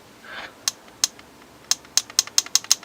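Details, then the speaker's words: Paintball marker (Invert Mini) with eyes turned off, dry firing: eight sharp, crisp clicks over about two seconds, one per trigger pull, a normally working solenoid; with eyes on it makes no sound. "so now when you press it it makes that solenoid clicking so if you can hear it and that isn't the trigger making the noise"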